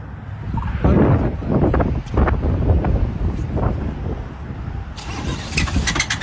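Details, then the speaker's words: A car cranks and catches, then a harsh, uneven metal-on-metal clatter rides over rough running; sounds oil-starved, possibly a spun bearing; severe knock, cause unknown. "That sounded like it didn't have any oil in it. Like metal on metal or a spun bearing or something. That was terrible."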